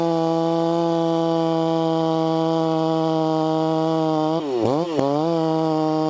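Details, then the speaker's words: Vintage 266 chainsaw, recently started after sitting a while, bucking firewood: crisp, even high-rev buzz sags briefly as the chain bites and recovers cleanly; normal, healthy cutting under load. "okay that 266 is eating wood I'm going to get set up better here"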